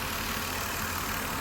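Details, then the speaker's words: 2000 Mercury Sable idling, in the shop for an alternator not charging: steady idle with a constant airy hiss that sounds like a vacuum leak, though the plastic intake can be noisy; the hiss seems to come from the back of the engine. "I don't know if this will be able to pick it up, but it sounds like a vacuum leak in this thing. I mean, at least to me it sounds like it's got a hiss, but I know these plastic intakes sometimes could be a little on the noisy side and sound like a vacuum leak."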